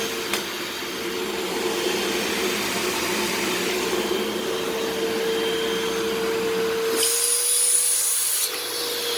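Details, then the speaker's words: Eureka SmartVac 4870 upright vacuum, repaired from two broken machines, running on high carpet setting: steady motor whine with even airflow, no rattles; motor has a long wind-down, belt slipping slightly and seems likely to need replacing soon, otherwise normal. "motor has a bit of a long wind down but other than that it's it's all right"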